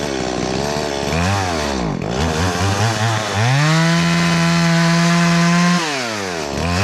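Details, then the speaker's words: Stihl MS170 chainsaw with a 14-inch bar and a freshly filed chain, cutting dead cherry on a steep hillside: holds a steady high rev in the cut, then sags and nearly dies when tilted before picking back up, a recurring stall the owner no longer blames on the fuel filter; cause unknown. "Y'all hear that thing give out on me when I turned it kind of cattywampus on there? It's been doing that lately."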